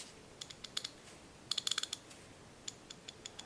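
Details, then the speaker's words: Craftsman USA-made half-inch ratchet, previously rough and seemingly skipping, after cleaning, lubricating and reassembly: crisp, even clicks in quick bursts with no slips or gaps; pawl engages cleanly, mechanism healthy. "there's no skipping going on there just feeling for the if the gear is in there they're rubbing incorrectly or something else is wrong"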